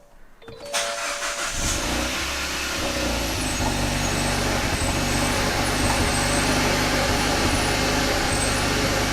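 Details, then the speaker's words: 2013 Kia Pro_ceed GT, cold start after having the O2 sensor mapped out in case of a false reading: engine catches at once into a fast, slightly uneven stumbling idle, still misfiring; cause unknown, VVT solenoid next to check. "still misfiring it is still misfiring"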